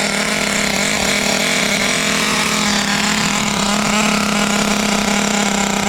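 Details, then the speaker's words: Restored Traxxas T-Maxx nitro RC with OS 21 engine, first run on a cold 42°F day, warming up: high, buzzy idle steady and settling, no misses, sounds healthy. "Sounds healthy. Idle is settling down. That's a good sign."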